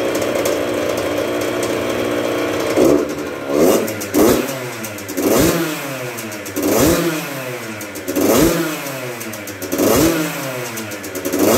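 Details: 1996 Yamaha YZ80 80cc two-stroke at first start after a full rebuild. It crackles, then takes repeated sharp throttle blips about every 1.5 seconds, each revving cleanly and dropping back evenly.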